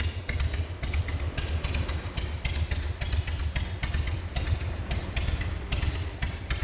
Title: Slow idle speed Harley-Davidson Sportster 1200S after Rebuild engine & Tune up #sportster #harley